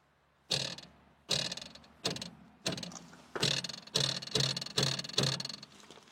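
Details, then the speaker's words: Fiat Panda 4x4 front axle, struck by hand after a metal rattle at the front appeared over stones on a rough road trip. Each knock gives a sharp tinny metallic clatter that rings briefly. "Tu vois, sur le train avant, quand je tape dessus, alors si tu veux, quand je prenais des pierres, ça faisait un bruit de ferraille à l'avant."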